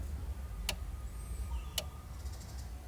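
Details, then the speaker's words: Sharp two-door refrigerator not cooling, defrost timer turned counterclockwise by hand: two sharp crisp clicks about a second apart as it steps through detents, louder click entering defrost; normal defrost timer clicking. "Nah ini kita putar teman-teman ya kita putar arah berlawanan arah jarum jam ini setiap kali putar itu Ini pasti bunyi cetik ya"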